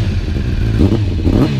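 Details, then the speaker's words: 2009 Kawasaki ZX-10R with Akrapovic exhaust, cold start after sitting unused a long time, off choke: deep uneven idle with irregular pops and clatters through the exhaust; fuelling slightly off, needs a ride. "as me started a long while unchoke fuelling bit which there you could hear that popping noise needs a bit of ride hasn't really gone anywhere for a very long time"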